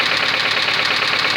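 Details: Faulty engine with a worn connecting rod bearing, its shells found missing on teardown: sharp, fast metallic knocking over the run that grows in amplitude as rpm rises; rod knock.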